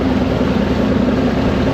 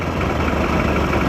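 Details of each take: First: Mid-1990s Mercury 115 hp inline-4 two-stroke outboard on a Ranger bass boat, lake test with loss of power and missing rectifier: low, burbling idle wavering unevenly; rough idle, bottom carburetor found wet, old power pack or stator suspected. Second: Mid-1990s Mercury 115hp inline-4 two-stroke outboard on Ranger bass boat, loss of power, missing rectifier replaced, 13.1 V at battery: short stretch of low steady idle, even beat, no stumble; normal idle, unclear if fully fixed.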